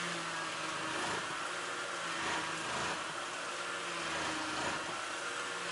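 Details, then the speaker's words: Ford BA Falcon after a new power steering high-pressure line, bleeding the system while the wheel is turned: a faint buzzing whine with a gurgling, uneven edge as lots of air passes through the pump. "all that you can hear is air being bled there's quite a lot in there obviously"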